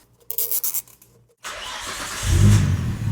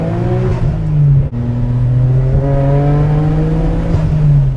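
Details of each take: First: Nissan R33 GT-R RB26DETT, previously chasing a misfire under boost, fires up at once on the first start after an HKS Super Fire Racing Coil Pro ignition install. A few clicks, then it revs cleanly with no stumble; healthy start. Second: Nissan R33 GT-R RB26DETT with Tomei titanium exhaust at wide open throttle: engine pulls hard, then stumbles and breaks up as boost comes in; misfire under boost since purchase, multiple causes, later upgraded to HKS ignition coils.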